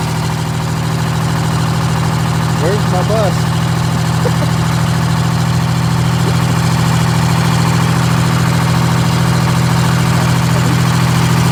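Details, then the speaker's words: GM 4104 bus, Detroit Diesel 6-71, cold start around 35–40°F: diesel drones steadily with uneven rattle about three times a second; generator mounting bolts found ridiculously loose, tightened, likely explains oil leak. "all right so Luis is tightening these uh the mounting bolts for that generator were ridiculously loose like he's probably turned that like three times already"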